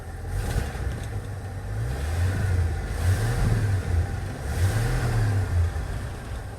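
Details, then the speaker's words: 1974 Ford F-250 Ranger SuperCab straight six idling cold at about 950 rpm on a newly installed aftermarket tachometer: steady, even low rumble, slight rise and fall, no knocks or misses; idle may drop once warm. "idling at about 9.50 might come down after it warms up but we indeed have a tachometer"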